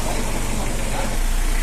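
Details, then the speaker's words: Mitsubishi L200 diesel after a Jet Speed tune-up: short burst of low, even diesel idle rumble at a steady beat with no harsh knocking; idle now smooth and settled. "Oke Guys kita simak L200 oleh sudah dicentang Balisa bunyinya sudah enak seperti mentari pagi guys"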